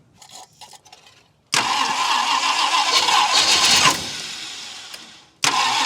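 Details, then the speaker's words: 1966 Ford Country Sedan V8 after an engine overhaul, carburetor bowls filled with fuel: the starter spins it over at about three even beats a second but it never catches. They suspected low 12-volt supply or timing; the distributor was found 180 degrees out. "you know what though it really does uh seem like it's not getting 12 volts but yeah I'm also wondering if your timing where your timing is can't be that far off"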